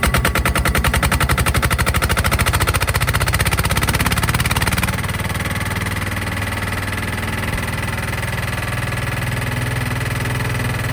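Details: Sykes GP80 water pump with Lister TR1 diesel engine, cheap auction buy, hose on exhaust into catch can: loud rapid even thumping as it fires up, then steady regular diesel beat with no misses; starts and runs normally.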